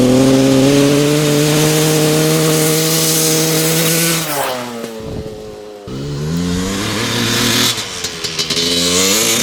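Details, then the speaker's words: 1995 Honda CR250 two-stroke after fitting a brand-new spark plug, with the old plug found dry. Revs still sag and flatten under throttle before picking up, so the bog is unchanged and the rider suspects a lean condition. "all right still really boggy with that brand new plug"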